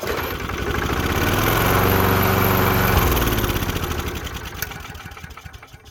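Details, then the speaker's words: 1990s Murray 5 hp Briggs mower before its carburetor replacement, fired on sprayed engine degreaser (it won't start on brake clean): climbs to an uneven run for a few seconds, then fades and dies; a fuel delivery problem. "Funny part is it won't actually start with the brake clean, but it will with the engine degreaser, and it was all an accident."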